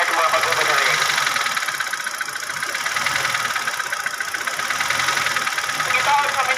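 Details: Hyundai Reina idling: light, rapid tapping a few times a second over the engine hum; engine knocking, cause not identified.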